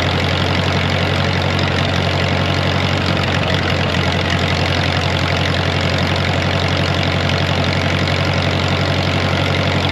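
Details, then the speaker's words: Wisconsin V4 engine in an R40 Ditch Witch converted from points to Hot Spark electronic ignition, timing set by ear by moving the distributor: steady, even idle with smooth low pulse, no stumbles or misses; running cleanly. "it said if you got it uh tuned right she'll purr like a kitten and I think they're right sounds good"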